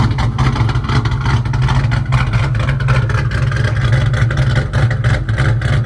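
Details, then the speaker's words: Ford Mustang "Turdzilla", 3V engine swap project with AEM wideband wired in, started up and runs good: deep, loud V8 rumble with lumpy but steady beat and a few throttle blips, strong and even, no knocking. "So yeah, let's just start the old girl up. Runs good."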